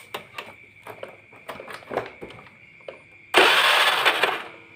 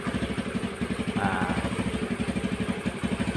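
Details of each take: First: Honda Beat carbureted scooter, cranked on electric starter during stator wire repair: three roughly one-second starter bursts whir and stop without catching. No spark from broken stator wires; spark returns once the wires are spliced. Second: Honda Beat carburetted scooter that had stalled with no spark, started on the old spark plug after the yellow and blue-yellow coil wiring fault was found: it fires up and settles into an even, steady putter, a normal healthy idle.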